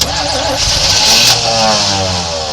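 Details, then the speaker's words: 1986 Chevy C10 Silverado sitting abandoned 15 years, first start attempt with fresh gas, in park: brisk, even cranking with strong steady starter whirr, no dragging or clicking; starter healthy. "oh that's a good starter"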